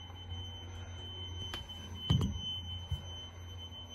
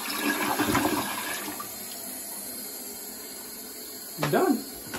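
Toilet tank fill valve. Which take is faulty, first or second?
first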